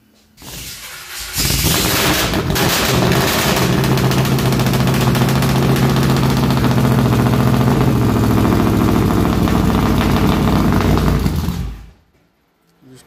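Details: 1957 Chevy Bel Air with a freshly built 383 stroker small-block V8, started cold. It cranks briefly, catches and settles into a loud, lumpy, slightly uneven run with good oil pressure before shutting off: a cold-blooded, reluctant cold starter.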